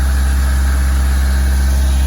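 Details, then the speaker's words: Turbocharged Merkur XR4Ti just started, on old fuel: deep steady low rumble, even idle, no knocks or misses; normal idle. "It runs. It runs. It just plain runs. I can hear the turbocharged power."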